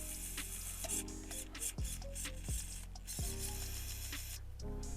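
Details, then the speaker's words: RC Supra after front repairs with glued-in Lexan, steering servo found to be a 2075 crawler servo, not the right one: stepped whining tones with sudden drops as steering moves, strained and rough; abnormal servo whine, servo faulty. "Listen to that servo. Something's wrong there."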